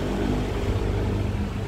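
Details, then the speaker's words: Yamaha All New NMAX 155 VVA scooter after replacing outer crankshaft bearing for rough engine noise: steady, smooth low idle with an even beat and no knock or rattle; problem cleared. "Ini orang sudah B naik ya itu motor sudah nyala suara sudah halus oke masalah sudah clear hanya dengan melakukan pergantian bearing csap yang sebelah luar ya"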